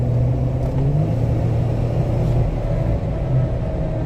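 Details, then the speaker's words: 2017 Jeep Wrangler JK, 30,000 miles, 37-inch tires, test drive: low droning rumble with a faint whine whenever off the accelerator, coasting; cause was loose ring gear bolts in the rear differential. "the customer says that it makes a noise anytime he's not on the accelerator so we're gonna take it for a drive see if we can't hear the noise"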